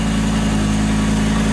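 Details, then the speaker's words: Lamborghini Gallardo running badly, cold start with oil pressure good: even steady idle sitting too high; it also cuts out and dies when revved around 3,500 rpm, cause not yet found. "Okay, so there still is an issue with this car idling high and also cutting out with the revs."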